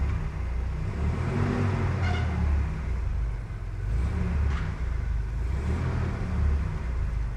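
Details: Mercedes-Benz W124 230E, hot, engine-driven fan clutch engaged (tested to activate at 100°C) after a new thermal vacuum switch was fitted; revs raised, steady low rumble with fan roar rising as it spins up and the temperature comes down; normal cooling.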